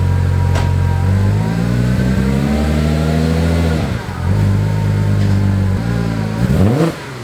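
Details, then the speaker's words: 2001 Audi S4 after repairing a fuel leak from a botched air-suspension install, fuel system reconnected: even idle with clean rising and falling revs, no stumble or misfire, no fuel leaks seen; slow start due to the disconnected fuel system. "the car sounds good obviously it took a little while to start up that's because we had the whole fuel system disconnected um but yeah seems like it's running okay it's not stumbling at all"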